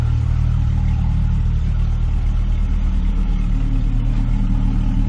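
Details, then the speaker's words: 1998 Jeep Cherokee XJ at idle after replacing a cracked, leaking cheap exhaust header (blown gasket) with a new one: steady even idle, low rumble, no ticking or puffing under the hood; exhaust leak gone, preservative smoke burning off. "But all the exhaust noise is gone under the hood. Don't hear an exhaust leak anymore, and all of our exhaust seems to be coming out"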